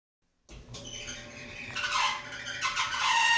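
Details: Maytag Bravos XL dryer (model MEDB855DC4) running with a loud, wavering high-pitched screech that swells and fades as the drum turns, caused by a worn idler pulley; fix is idler pulley replacement.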